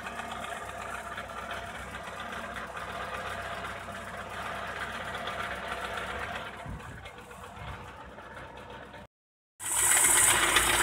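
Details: Opel Astra F 1.4 8v Si (C14SE) petrol engine running with a loud whir, steady metallic rattle and knocks, seemingly from low in the engine; the cause turned out to be a failing coolant pump, and the engine ran quietly after replacement.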